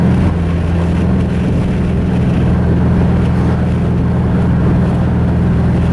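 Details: Mazda 3 engine after a clutch dump blew the motor, now running with a deep, lumpy drone and irregular beat, sounding like a Subaru; rough running, internal engine damage likely.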